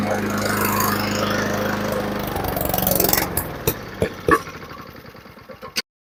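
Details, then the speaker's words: Honda lawnmower, restarted after carburetor cleaning with the choke off: it runs evenly for a few seconds, then sags, sputters with uneven pops and dies. Suspected cause is a float needle sticking shut and starving the float bowl of fuel, unconfirmed. "Should have plenty of fuel now, so if anything, it's going to fire right up and then it's going to go back to bogging again. Definitely that."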